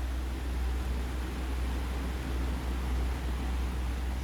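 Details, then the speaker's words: Pedestal fan that wouldn't spin or spun slowly, after its gummed, dry bearings got a drop of oil: on speed 2, an even, steady airflow rush with a low, smooth hum and no scraping or rattle; running freely. "That's it on 2, and you can hear it blowing. So let's turn it off. Let's bring it up one by one. So it immediately works."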